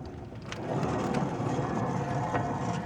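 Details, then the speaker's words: 2008 Silverado 2WD front hub with rough, gritty grinding and howling, found after fitting new rotors; the worn wheel bearing gets a hub/bearing replacement. "that's just terrible you can hear it just grinding in there"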